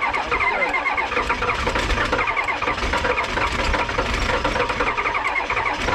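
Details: Diesel vehicle in cold weather after glow plugs cycled twice, Optima YellowTop batteries revived from full discharge by charging: rapid even cranking into a steady diesel clatter at idle with no stumbling; strong cold start.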